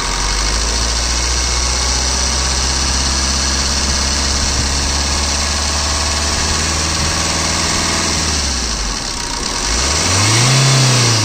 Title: Swift VDI, 2014, White color, Engine noise.